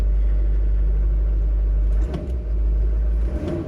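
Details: 2005 LLY Duramax V8 diesel regular cab, 168,000 miles, after faulty FICM repaired and fuel system primed: deep, steady rumble with even beat and no knocking or misfire, idling smoothly.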